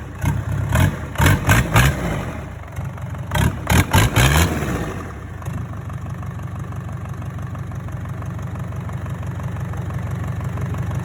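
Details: Hyundai D4DC diesel just started after a rebuild: clatter blips up through several quick revs, then settles to a fast, even idle tick around four beats a second; normal idle.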